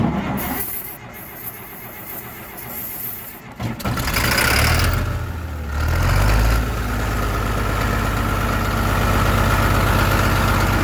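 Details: D5 diesel, foot pumping during a hard start: long cranking with a bit of hiss, then it catches with a surge of revs and settles into a rough idle.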